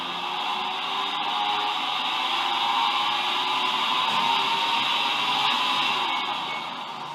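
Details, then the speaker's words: Washer-dryer drying fan noise, recorded with top cover off and drying-unit screws loosened, before removing the drying motor: steady airy rushing whoosh with a faint hiss throughout; noisy drying fan, cause unclear. "Tá solto, eu vou ligar para mostrar o barulho que ela faz."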